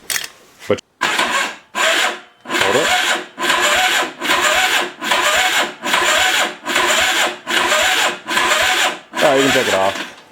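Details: Old, long-stored motorcycle with a squirrel nest in it: short even whirring bursts about once a second as the starter spins the engine freely; it turns over but doesn't fire, so it isn't seized. Spark check next.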